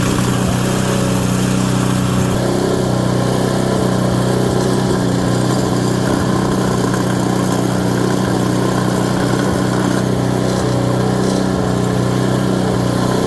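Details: Craftsman Series 2 auction snowblower single-cylinder engine after ignition points check: steady, even beat with no misses or surging; runs smooth and healthy.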